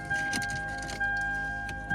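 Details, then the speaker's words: Car bought to flip, sat for a while, nearly full tank of gas: starter cranks evenly in bursts, acts like it wants to fire but never catches; crank no start, spark plugs pulled next, cause unconfirmed. "Okay, so it's not going to start. All right, y'all. So after a little bit of starting, finally got tired of it. It acted like it wanted to fire over a little bit, but it just didn't fire."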